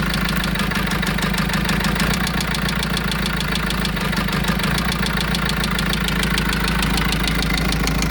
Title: engine knock 1.9 vivaro injector?